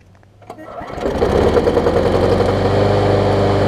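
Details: Bolens mulching mower trade-in, air filter off and starter fluid sprayed in; catches after a few pulls and settles into a ragged, uneven putter, running just barely. The engine shroud showed signs something had been living inside.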